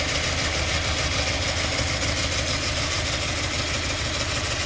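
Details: 2017 Subaru Forester XT turbo shaking and surging at idle, irregular stumble and hunting; misfire with codes P0300, P0303, P0017; new plugs, coils on cylinders 1 and 3 checked, throttle, EGR, MAF, MAP cleaned, no change.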